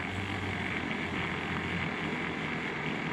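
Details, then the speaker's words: Keurig K-Café milk frother mid-cycle (lid installed, about 1 min 40 s run): steady even whir with a soft hum underneath, no knocks or grinding; normal operation. "we'll tell you when it's done it will give two beeps and this light here was gonna go out and you're gonna get about 3/4 of an inch of foam and about a hundred and sixty degree milk"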